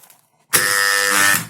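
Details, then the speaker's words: 220 V-coil magnetic contactor, removed from its DIN rail and tested on the bench: harsh loud buzzing hum the moment the coil energises; core laminations found fully rusted, owner suspects rust causes the abnormal contactor hum. "нет в общем слышно довольно таки ужасный звук разбираем его"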